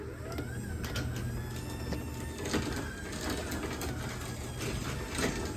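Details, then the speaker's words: LiftMaster garage door opener closing via the wall button: steady low motor drone with light chain rattle and a few small clicks; quiet, even, normal operation. "And here we go. I can hear the motor sound."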